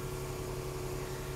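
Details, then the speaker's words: 2014 Range Rover with intermittent start-stall and no-crank from a module losing communication: this start gives a smooth, steady idle with no misses or knocks; fault not reproduced, normal idle. "incredible i can't get this thing to act out on camera even though it's done it plenty of times to me"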